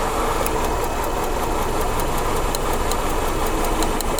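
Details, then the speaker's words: 1997-2002 Honda Accord running after a no-start thought to be from running out of fuel; plug wire pulled to check spark causes rough idle with sharp regular ticking and stumble, one cylinder dead; misfire from disconnected spark plug wire. "you can see it right there you can feel the car you can hear the car stumble but you can see the spark so you have spark there"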